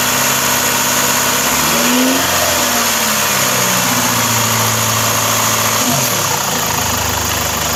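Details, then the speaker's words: Chevrolet Captiva engine held at 2500 rpm during an inspection. It keeps a steady, even speed with no knocks or misses under a strong hiss. Charging is normal, there is no compression leak into the cooling system and no blow-by smoke; the engine is healthy. "Tahan RPM di 2505 detik."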